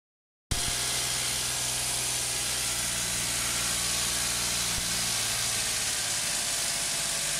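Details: Suzuki HE21S Lapin K6 engine idling with a loud, steady hissing rush; the water pump shaft has axial play and a worn bearing, although the pump was replaced only 2 years ago.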